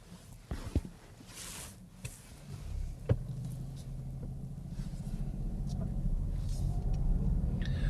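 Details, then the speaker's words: Manual car in first gear, accelerating: engine note climbs to a strained rising drone, the car starting to "shout"; dashboard shift indicator requests second gear, engine revving high, needs upshift. "So as we go along here, we can hear the car start to shout slightly. And on my dashboard, it's saying second gear."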